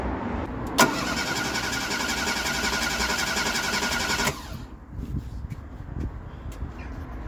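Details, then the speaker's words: Ford Fiesta Mk3 after coil pack, crank sensor and ESC replacement, steady starter cranking nearly four turns a second for about three and a half seconds, never catching, then silence; crank no start. "Oh well, bit of a disappointing ending that. Well, for me anyway. Don't know about yous."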